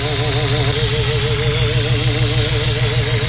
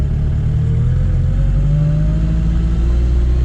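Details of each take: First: Supercharged Chevette OHC engine with carburetor, about 1 bar boost, ignition timing near zero or negative at idle: rough loud idle with constant sharp hiss and thin whistle; boost air leaking from crushed carburetor vacuum nipples and cover screws. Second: Chevette OHC engine with adapted supercharger during carburetor and ignition timing tuning, timing near zero or negative at idle: engine pulls up smoothly and holds steady revs, deep even drone, no hiss or whistle from intake; sealed and healthy.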